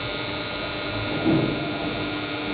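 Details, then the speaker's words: BCH DOL starter for a 3-phase induction motor: loud steady harsh buzz from the energised contactor, which works but is very noisy; carbon buildup on the rear magnet faces where the coil sits keeps it from sealing cleanly. "शोर हो रहा है दोस्त आ रहे हैं। बहुतेरे शब्द कर रहा है। काम अच्छी तरह से कर रही है। लेकिन इसमें शोर बहुत ज्यादा है।"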